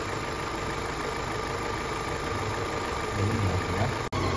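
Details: Rebuilt Opel Astra H 1.6 petrol engine at steady idle with a faint thin whistle from the PCV valve in the valve cover; the rocker cover is faulty and needs replacing.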